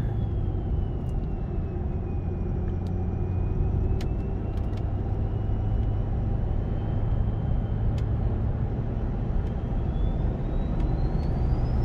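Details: 6.7 Powerstroke diesel with MPD compound turbo kit, about a thousand miles on the setup, windows up, heard from inside the cab: heavy drone with a thin clean whistle dipping then climbing as boost builds; normal compound turbo spool.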